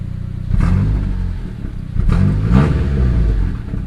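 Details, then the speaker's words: Turbocharged Honda Accord, nearly warmed up, after idle adjustment: revs up twice and drops straight back to a steady 1000 rpm idle with no hunting or stumble; air-fuel still slightly rich. Normal idle after rev. "comes right down right back to a thousand so nice so that's sweet I'm happy about that"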